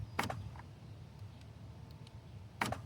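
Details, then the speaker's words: 2013 Volvo XC60 rear driver door with intermittent lock/unlock, aftermarket door latch module plugged in for testing: two crisp motor-and-clunk bursts seconds apart; latch actuator locks and unlocks properly, new part fixes the issue. "So, that uh that does it. This is actually going to work. This part does fix the uh fix the issue."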